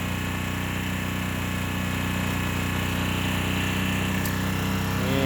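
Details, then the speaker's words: Baja 900 W propane generator (Ryobi-equivalent) running with no load at about 25°F, measured about 75–77 dB at 3 feet: steady even drone, no hunting, knocking or surging; quiet, healthy run. "I can tell you it's quiet, having listened to it already."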